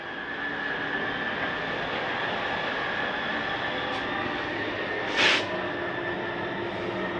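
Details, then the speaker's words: 2019 Grand Design Reflection 315RLTS, bedroom slide-out retracting: steady even drone with thin constant whine, no grinding or binding; normal retraction until it stops. "Bring that the rest of the way in. And you'll hear it stop."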